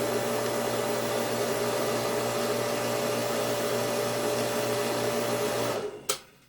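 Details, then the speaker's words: Septic pump motor after its manual switch was moved upstairs: steady, even hum with a low electrical tone, no knocking or grinding, stopping cleanly at switch-off; normal running. "Okay, it wasn't quite to code, and it works great."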